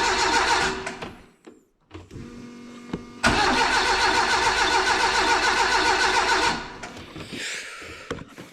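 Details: Renault 5 GT Turbo van being revived: starter spins the engine steadily, about three and a half beats a second, for three seconds, never catches; oil pressure light goes out; owner plans carb cleaner or easy start; crank no start.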